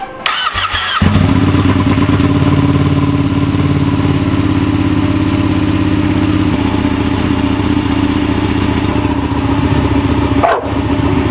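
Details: Ducati Panigale twin with new clear clutch cover, restarted with fairings refitted: quick crank, catches cleanly, steady even idle with no tapping or rattles; normal start-up and idle, sounds about the same loudness as before.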